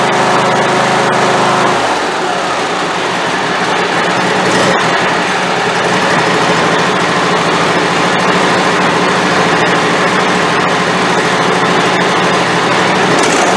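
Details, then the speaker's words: Craftsman YT4000 hydrostatic riding mower, valves not yet adjusted: small engine stumbles and surges about three times a second instead of settling; fuel delivery suspected, owner expects carburetor problem. "Well, that doesn't sound nearly as healthy as it did the first time, does it?"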